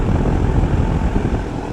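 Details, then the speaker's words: Florida outdoor HVAC unit after most electrical was bypassed, defrost board still to be quoted: steady even low rumble with smooth fan whoosh, no knocks, rattles or squeals; running healthy, pressures looking good. "Alright, this is on, it's running, pressure's really looking good."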